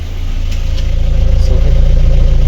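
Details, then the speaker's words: Lada Kalina 1.6 (used replacement engine) after full rebuild for misfire, running on gas: steady even exhaust pulses, no skips; normal exhaust note, all cylinders firing. "просто рівненький чистий вихлоп красота красота"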